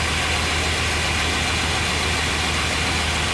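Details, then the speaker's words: 1998 Chevrolet 1500 5.7 V8 started with accessory belt removed to isolate noise; steady, even idle with no squeal, whirr or bearing growl, confirming earlier noise was the alternator: normal idle. "I'm going to start it up without the belt on it see how much of that noise is coming from accessories and idler pulleys Oh just like I thought that was the alternator making all that noise"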